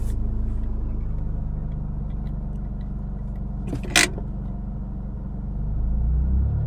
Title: 2000 Mitsubishi Eclipse strange engine sound